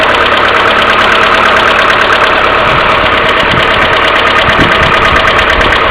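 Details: Mercedes A-Class W168 1.6 petrol, cold engine idling without throttle: fast even ticking rides over the idle, plus continuous timing chain tensioner hum; knocking caused by hydraulic valve lifters, fixed by replacing them.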